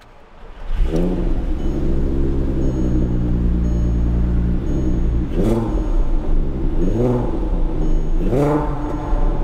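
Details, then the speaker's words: VW MK4 R32 VR6 just after installing Velt Sport coil packs: engine catches and settles into a smooth, even idle with a steady low hum and a couple of light blips, purring like a VR6 should; normal idle. "Purring like a kitten. It's the way a VR6 should."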